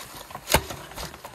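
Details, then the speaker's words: Bee Cool Bikes Bee Adventurer full-suspension e-MTB, front end pushed down by hand: one sharp dull thud then light rattles as the very soft fork bottoms out; the adjuster does nothing, and the rear is very stiff. "so i noticed that the suspension is kind of easy to bottom out you guys hear the the thud hold on normally on a full suspension e-bike you're gonna have a hard time actually doing that like bottoming out the suspension by just doing that"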